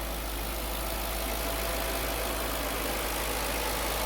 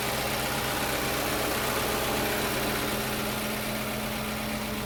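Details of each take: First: 2005 Audi B6 4.2 L V8, 180,000 miles, after a cold-start rattle cleared by revving: smooth, quiet, even idle with no rattle; rattle was a failing starter return spring letting the pinion hit the flywheel. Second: 2005 Audi B6 4.2L V8, 180,000 miles, cold start: light, fast metallic rattle at idle, seeming to come from the transmission area; failing starter return spring left the pinion engaged, hitting the flywheel; revving throws it back and silences it.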